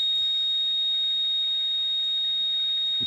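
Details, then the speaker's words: Radio receiver on lower sideband, ground-plane antenna, about 10 dB: constant high whistle near 4 kHz over faint hiss, absent on upper sideband, AM and FM; a flat carrier tone of unknown source and direction. "I mean that's a just a flat tone being transmitted out at ndb's of my ground plane out there so I don't know which direction it's coming from"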